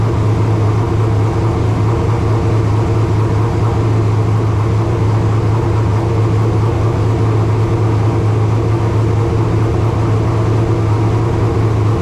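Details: Race car engine (V8 rumble) at its first fire-up of 2025 after installation, with fresh filtered water in the cooling system: a steady, deep idle that stays high and won't drop. Exact rpm is unknown because there is no tachometer, only oil pressure and water temperature gauges.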